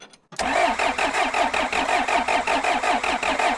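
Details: Abandoned John Deere 310 backhoe diesel while bleeding fuel system, fuel from can via primer pump and filter to injection pump, air bubbles in lines: starter labours over about five compressions a second, never fires; cranks, no start.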